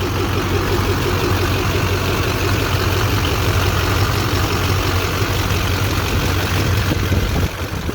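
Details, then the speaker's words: 2001 LB7 Duramax diesel after a new belt tensioner and idler pulleys were fitted to cure squealing and chirping: a steady, even idle clatter with no squeal or chirp. Normal idle after the repair. "Nice and quiet, no more squeaking."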